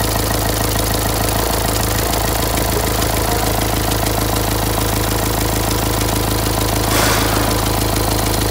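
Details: Renault Symbol, a month after a full engine rebuild: light regular ticking about three per second over idle, and it won't start for about 20 seconds in the mornings.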